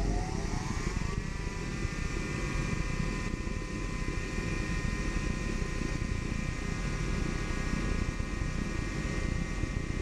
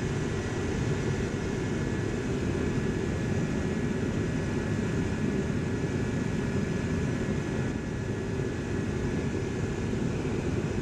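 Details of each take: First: Dyna-Glo Workhorse 65,000 BTU forced-air torpedo heater restarted after an error reset with pump pressure turned up too high. Steady, heavy burner roar with a faint rising whistle and flames blowing out the end; overfiring from excessive pump pressure. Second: Dyna-Glo Workhorse 65,000 BTU forced-air torpedo heater with spark ignition: steady, even roar of fan and flame with no sputtering, surging or pops. It shuts off by thermostat without smoking, so it is burning cleanly. Normal running.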